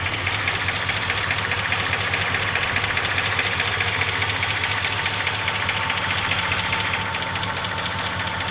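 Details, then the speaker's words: 2004 Chevy Silverado V8 at idle: light, fairly regular tick on top of the engine hum, heard on the right side but not the left; owner asks whether a bad lifter or rod. "trying to figure out what is the ticking sound in my truck. Chevy Silverado. Right side, left side, no ticking. Right side ticking."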